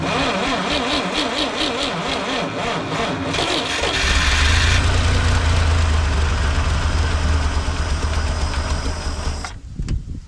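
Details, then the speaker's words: 1958 Lull telehandler cherry picker sitting 15 years, parked with a fuel issue, fuel line just primed: cranks, catches, runs roughly several seconds then dies abruptly; battery weak and needs charging. "killed it immediately battery needs to be charged too"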